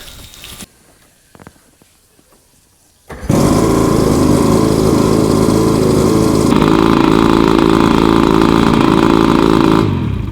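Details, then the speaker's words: One of twin 50 hp OMC two-stroke outboards, first runs after 5+ years of storage with new fuel lines and primer bulbs, restarted warm without choke: catches at once into a steady buzzy drone; runs cleanly, though water pumping not yet confirmed. "All right, let's see. Boy, that lit right off too. Let's see if it starts back up with no choke."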